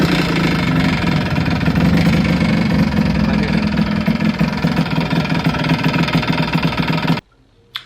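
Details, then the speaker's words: Suzuki Shogun two-stroke running hard with a sharp high-pitched metallic rattle over the exhaust note; worn big-end needle bearing, connecting rod bearing failure that led to seizure. "what happened with my suzuki shogun was it happens with a big needle pin bearing so that bearing got worn out and the sound is going to be very high like the sound is going to be very high"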